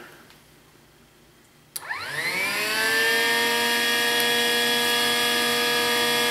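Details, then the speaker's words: 2005 Chevy Trailblazer with code P0410; air pump, solenoid valve and ECM already replaced. After a leaking hose was re-clipped, the secondary air pump whirs up to a steady, even whine with no rattle or hiss. Normal operation. "there you go yeah Oh whirring feels good"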